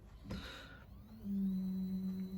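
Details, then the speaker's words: Stepper motor on L298 H-bridge, Arduino Uno, AccelStepper ramps, bench supply constant-current; hum steps up in pitch and holds loud with rough buzzing at top speed, where motor runs at resonance and would desynchronize under load. "the maximum speed of our profile, we're actually running that motor at resonance, and if you were to have had a load connected to it, it would desynchronize because of the resonance."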